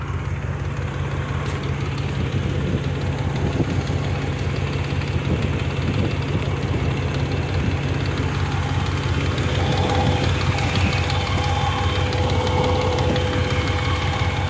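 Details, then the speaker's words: 2005 Dodge Dakota 4WD with 4.7 V8, ECM water-damaged, fan shroud removed, some exhaust work done. Steady idle with a fast, loose rattle about three times a second from the front. Mechanic suspects the belt drive system. "it's got a rattle going on I think that's off the belt drive itself yeah that sounds like it's coming from the front end so we're gonna say it's off the belt drive system itself"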